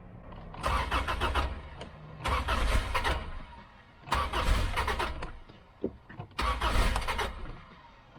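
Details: 1995 Subaru after replacing a fusible link burned out by reversed battery cables, not started for a few days: three long cranking bursts, starter churning steadily between pauses, engine turns over evenly but does not catch yet.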